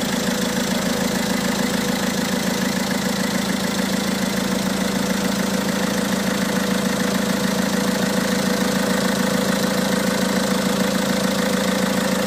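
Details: Peugeot 207 1.6 HDi 90 hp DV6ATED4 diesel, August 2007, 212,469 km, at idle: steady idle with a hard, even knock about twice a second on top; abnormal engine noise, source not identified.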